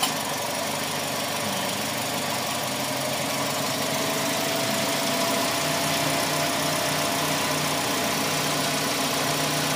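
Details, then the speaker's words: Toyota Vios Gen 4 with worn, rough-sounding A/C compressor, engine idling with compressor engaged: steady idle and even compressor hum, no repeated clutch ticking; a single tick is normal, rapid successive ticks would be abnormal. "Okay lang yan yung pitik ng pitik. Mm. >> Dapat isang pag-tick yun na yon. Pero pag sumunod-sunod ng tik >> automatic na kaagad."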